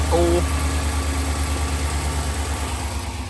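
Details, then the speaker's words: 2021 Ram 1500 Limited Longhorn, 5.7 Hemi with eTorque, idling after the cracked exhaust manifolds were replaced: a low, even V8 idle with a soft steady pulse, no ticking or exhaust puffing. Quiet, healthy idle like a new truck. "It's so quiet. That's perfect. It's a new truck again. Sound like a brand new truck, buddy."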